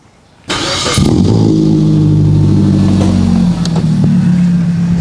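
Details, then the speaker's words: Suzuki Swift GL 2006, 1.5 L 4-cylinder VVT, 4-speed automatic: engine catches quickly and settles into a smooth, steady idle with no rough noises; loud deep drone from a non-original exhaust; normal engine start. "dan ini suara mesinnya halus standar normal tidak ada suara-suara kasar paling suara knalpot ya berisik banget"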